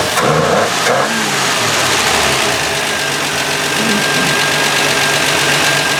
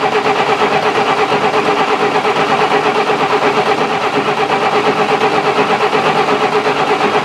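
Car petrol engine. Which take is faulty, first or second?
second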